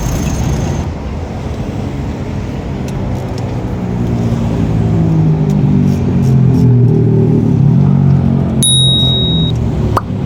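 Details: Diesel cranks with steady low chugging about four turns a second but never catches; injection pump not pumping fuel despite new solenoid and timing gear turning, cause a broken injection pump rotor head.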